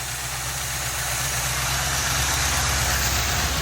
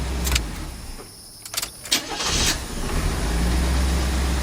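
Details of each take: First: 1984 GMC truck with six-cylinder engine, just after transmission install, exhaust donuts fitted: steady idle with faint quick ticking about three a second riding over it; light valve train noise. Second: 1984 GMC truck with a six-cylinder and a newly installed transmission, timing adjusted after detonating on the road. A few clicks, then the engine catches and settles into a steady, even idle with no pinging. Running healthy.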